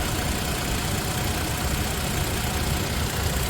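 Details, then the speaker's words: 3rd-gen Toyota Tacoma (2016–2023) after oil change to Amsoil oil and filter, fully hot just off the freeway at 80 mph: steady, even, whisper-quiet hum with no knocks, ticks or misses; healthy hot idle. "And listen, I mean, this is as heat as it's going to get. It sounds beautiful."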